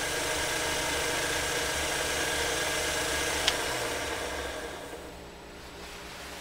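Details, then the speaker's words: Vintage Singer Featherweight 221 sewing machine motor drawing 0.4 amps, run at full pedal: a fast, even buzz with a steady flutter that dies away. The belt wavers and vibrates, possibly from the pulley or belt tension, and the motor lacks power and needs cleaning. "we definitely have some motor opportunities from a standpoint of taking that motor apart and cleaning it cuz we're not nearly getting yes it's a point for a motor but we're not nearly getting the power that we should be from this featherweight with 0.4 amps"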